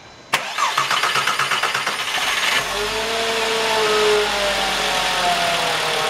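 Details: VW Jetta 2.5 after replacing all fuel injectors (suspected misfire under acceleration, possibly cylinder 2), key cycled on-off to prime: starter whirrs a couple of seconds, engine catches and settles into an even, steady idle with no stumble.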